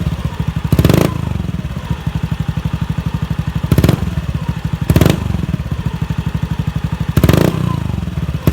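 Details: Honda Beat FI scooter, stumbling at low and high revs and weak off the line: steady idle with sharp throttle blips that flare and fall back without clean pickup; fuel pump pressure suspected low (normal 40 psi).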